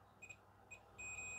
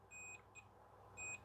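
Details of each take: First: Multimeter in diode-test mode probing a switch track on the main board of an LG FC930W VHS VCR: two short high beeps then a steady held beep, clean and clear; meter reads continuity normally. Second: LG FC930W VHS VCR that would not load cassettes: a multimeter continuity test across a micro switch held fully in gives short, high beeps; normal continuity beep.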